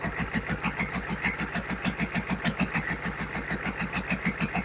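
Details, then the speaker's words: GEP/Navistar 6.5 diesel, rebuilt (Scat crank, 30 over, moly pistons), Stanadyne DB2831-4911 pump, on a stand at about 124: even steady idle thump about three beats a second, no misses; unusually smooth, which the builder thinks may be down to a well-balanced Scat crank; normal idle. "the motor and the pump is really smooth. I don't know if that uh scat crank is just balanced. Well, this is one of the smoothest motors I've built."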